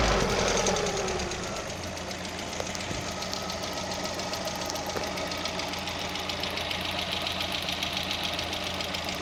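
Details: Lada (VAZ) 16-valve engine at idle: light, rapid, slightly uneven ticking around 210 a minute over a smooth idle, hydraulic lifters knocking; valvetrain ticking.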